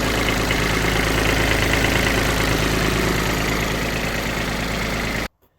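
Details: Kubota Aste A-13 mini tractor diesel, idling with the hood open: even, regular clatter at about four beats a second, no knocks or misses, then a clean shutdown; normal idle.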